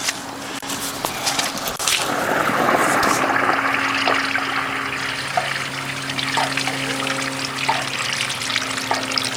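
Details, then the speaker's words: Sump pump discharge through a long riveted pipe in a wet New Jersey fall, cycling every 30 seconds: it gives a little water, then a strong rushing, gurgling surge before settling to a steady pour, with no leaks after sealing. "The pump does a weird thing. It gives like a little bit of water and then it socks it. This thing's going, John, every 30 seconds."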